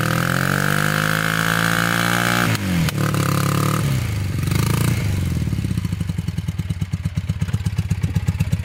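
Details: Honda trike with swapped CM400 automatic twin, long stored, rusty tank: revs sag into a slow uneven chug about three beats a second, boggy in gear; carbs leaking gas.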